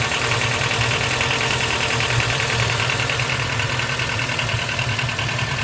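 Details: 2005 Honda Stepwgn RG2 at idle: loose uneven tapping two or three times a second over the engine hum; abnormal engine noise, cause unclear.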